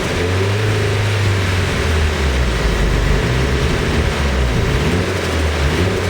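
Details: Nissan S14 SR20DET, freshly rebuilt with OEM parts, cold, running pig rich with black smoke. Held at a steady rpm, the engine drone carries an uneven, stumbling pulse and it shakes, though it revs up fine: misfire with rough idle, cause unknown.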